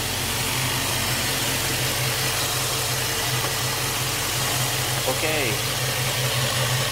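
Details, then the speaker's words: 1999-2004 Jeep Grand Cherokee WJ 4.7 after high-pressure power steering hose replacement and refill with MS5931 fluid instead of ATF+4. Turning the wheel gives a steady, smooth idle hum with no pump whine or groan. Normal, quiet power steering. "As you can see, there is, you know, no noise nothing."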